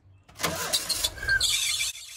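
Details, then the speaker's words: 1987 VW Vanagon just fitted with new fuel injectors, aluminum fuel rails and fuel lines, on jack stands: engine catches with a high thin squeal for about a second, suggesting a squeaky belt; quiet once off the jack stands. "that's a squeaky build all right Crank It Again oh you took it off the jack stands and now it's quiet how unusual"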